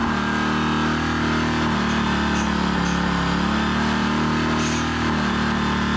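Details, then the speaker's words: Generator engine after fitting a new aftermarket carburetor, idle adjusted down: steady, even drone with constant hum and no surging or misses at a settled speed; normal running. "Alrighty. Well, as you can hear, it runs."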